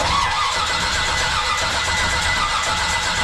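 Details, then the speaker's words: Barn-find 1966 Corvette with an L79 327, stored for years: the starter spins the engine at an even cranking beat for seconds but it never catches. The ignition points are thought to need filing. "They'll take the points out, file that sucker back."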